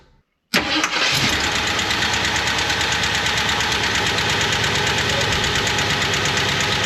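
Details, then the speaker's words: 1977 Jeep Wagoneer, AMC 360 V8, automatic, Edelbrock 1409 600 CFM marine carb, started after refitting throttle linkage and spring: fires right up and settles into a steady, even idle with no misses or knocks; normal idle. "no Miracle do happen I don't can't honestly believe so happy right now I definitely dial it in a little more and uh but man I that's all I wanted I just wanted it idle so this is a wonderful thing"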